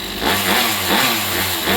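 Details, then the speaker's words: Rovan 45cc two-stroke engine refitted to the chassis; earlier shaking was traced to an out-of-balance clutch. Crisp buzzing rises and falls cleanly with each throttle blip, no misfire or rattle; sounds as it normally should. Normal revving. "Now it sounds the same. Now it sounds the way it normally would sound."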